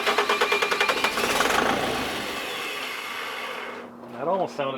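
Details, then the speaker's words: Sabotaged Bobcat skid steer diesel after cam lobe cleanup and oil flush, using starting fluid: rhythmic cranking chug about three per second with a few stronger puffs, then it dies away. It nearly fires but won't start; it cranks then stops. "it sort of cranks for so long and then stops and you have to turn it off turn back on crank crank crank"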